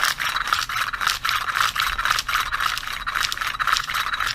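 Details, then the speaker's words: 80cc motorized bicycle engine pull starter after pushing the bushing back into place: dry, gritty rasping rattle with each pull because there are no bearings, bushing off-centre causing some rubbing, but spring works without friction; starter engages normally. "always going to hear a little granny because there is no bearings in here"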